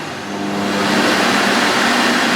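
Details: Refurbished vintage Electrolux 4x4 vacuum cleaner with new filters and bag fitted, boost on max: motor spins up within a second and settles into a steady, even whoosh with no rattles or grinding; sounds healthy.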